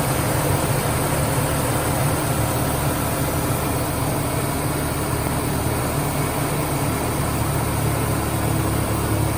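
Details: 1996 Ford Ranger petrol engine idling at first start after a vacuum leak was plugged: steady, even low rumble with no hiss, stumble or miss; runs good.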